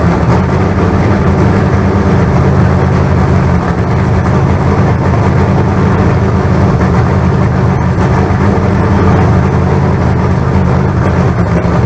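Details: Freshly built 388 small-block Chevy (heads and intake reused from the owner's troubled 406, for a crew-cab Chevelle), carbureted, first run-in with throttle worked by hand: loud, deep, even V8 rumble, no ticks, knocks or misfires; about 80 psi oil pressure, no leaks. Normal.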